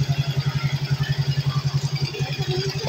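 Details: Suzuki Smash 110 that would not start, fixed by repairing a broken power supply wire and pulser problem; small single now settles into an even, regular low putt-putt idle with no misses or stumbles, healthy.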